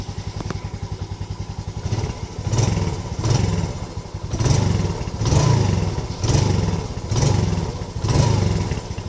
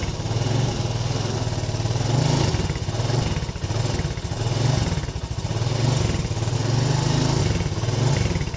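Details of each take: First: Yamaha Lagenda 115 FI after throttle body service and adjustment: a steady, low putter at idle with a gentle swell about once a second and no knocks or stalling. Normal idle. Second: Yamaha Lagenda 115 FI that is hard to start, stalls and won't idle: the idle keeps swelling and sagging every second or so instead of holding steady. Cause found to be a dirty throttle body.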